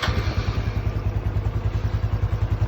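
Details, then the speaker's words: Used motorcycle for sale, under 4,000 km, just started by hand: soft, even thumping idle with a steady beat, no knocks or rattles; engine sounds normal. "เสียงเครื่องนิ่มตอนที่ได้ยินนะครับทุกอย่างเช่นนั้นก็ปกติดีครับ"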